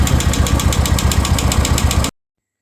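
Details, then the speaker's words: Royal Enfield Classic with a tik-tik noise: a sharp, even tick six or seven times a second over the idle thump; hydraulic lifter problem found with excessive valve guide play, a worn piston and a valve seat issue. "इसके head block हम open कर दिए क्योंकि इसका hydraulic problem था main तो यह देखिए इसका पिस्टन स्टन भी बहुत ज्यादा खराब स्थिति में है"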